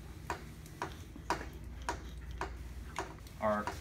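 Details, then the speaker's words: Mini fridge compressor overload relay cycling: sharp light clicks about two a second in a quiet room; the overload trips because the compressor won't start. "which is what you're hearing click just like that one I just hit here"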